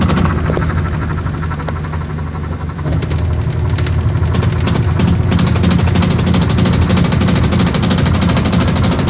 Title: ☎️📲0975-6688214. Sharp Automatic washing machine repair. Very Noisy spin dryer. Defective tub assy